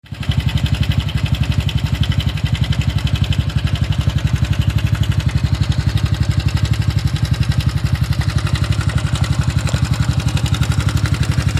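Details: Honda Super Cub 110 (JA44) at steady idle: a sharp, even ticking about four per second over the low thrum; the abnormal engine noise started suddenly while commuting, and its source is unknown.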